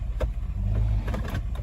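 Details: 2006 Toyota 4Runner, about 120k miles. After freeing a bound-up transfer case actuator, the transfer case is shifted in neutral into four-low and back to four-high. Steady low idle, a few soft clunks as it engages cleanly, no warning beeps.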